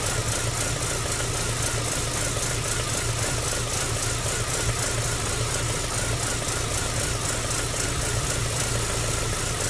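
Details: MG ZR 105 running with new plugs, leads and alternator belt; intermittently a steady, regular ticking pulse rides over the idle drone, an abnormal engine noise of unclear source.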